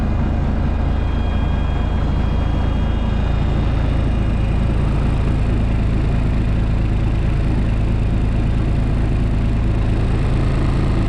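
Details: Old cabover truck diesel started in neutral after one throttle stab: deep steady even clatter at idle, no misses or knocks — sounds healthy.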